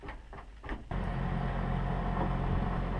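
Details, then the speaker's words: Takagi Jr tankless gas water heater running with clicks, then a loud, steady low roar and hum far too heavy for normal. Owner plans to descale it with 3 gallons of white vinegar and a pump, hoping this cures the noise. "This thing makes a ridiculous noise when it's on."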